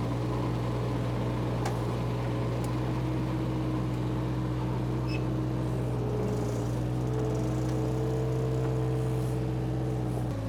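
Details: Power Trac 1850 diesel tractor after fluid change, mower engaged: steady even diesel drone with mower spinning, no misses or knocks; normal running under load.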